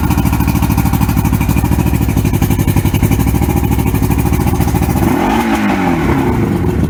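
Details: 1994 Suzuki 115 oil-injected two-stroke outboard, water on, with more Sea Foam added to a full tank: a fast, even popping exhaust beat holds steady for several seconds, then eases off smoothly; clean running, no misses.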